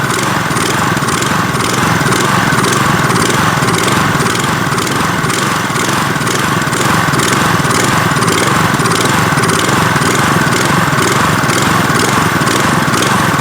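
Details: Troy-Bilt pressure washer with an idle-down feature (idles until the trigger is pulled) after long storage: small single-cylinder engine idling loud and rough, speed rising and falling about twice a second, a surging idle; cause suspected, not confirmed.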